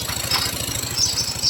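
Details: Yamaha Mio 125 i that was hard to start, after fuel pump pressure and injector checks found a faulty injector: the engine now starts easily and holds an even idle putter of about ten pulses a second with no misses.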